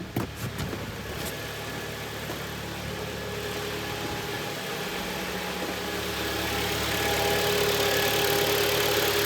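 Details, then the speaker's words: Kia Optima 2011, G4KD 2.0, 127,000 km, after piston/ring replacement for early cylinder scuffing and knock; heard from outside, it idles evenly and quietly with no ticking, knocking or extraneous noises; normal idle. "работает ровненько работает абсолютно тихо никаких посторонних шумов"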